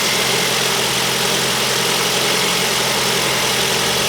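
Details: 2008 Ford Focus 1.8 petrol, idling at 12.57 V initially: steady, even, quiet idle with smooth hiss and no squeal or chirp; normal healthy running.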